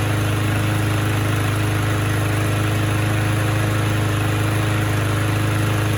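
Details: Abused Troy-Bilt mower pulled from the trash, missing its air filter, with almost no compression, untouched carburetor, fresh gas and low oil. Started with a drill, it holds a strong, steady single-cylinder governed drone with even firing and no misses. It runs surprisingly well.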